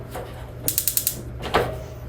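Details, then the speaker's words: 2022 Forest River Salem FSX 280RT stove burner, no propane connected: a quick run of about five sharp, evenly spaced clicks, then a single click, with no burner whoosh; spark igniter working normally. "All you gotta do is press and turn, and hear kind of, and then obviously you'll turn and then it will ignite. Same goes for all 3."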